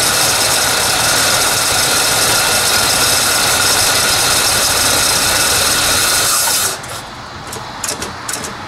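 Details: 1948 Chrysler Town and Country, battery removed, a couple gallons of fuel added: steady rhythmic cranking at about three beats a second for several seconds, never firing; fuel pump suspected not yet delivering.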